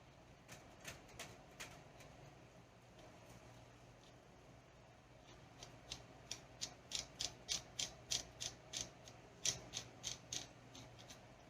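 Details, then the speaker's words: Arrma Vorteks RC truck with 6S motor, differential/gearbox turned by hand during diff service: sharp irregular ticks about three a second from the input gear in the housing; clicking that later cleared after spinning, cause not found. "So it makes a little bit input gear into the housing. it's making noise."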